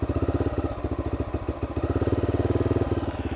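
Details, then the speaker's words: 2012 Honda XR650L with an FMF Q4 exhaust, on a camping trip, idles with a quick, choppy single-cylinder beat and a loose metallic clatter on each beat; engine rattle. "earlier this thing did not sound great there's like a rattle in there don't know if you can hear that"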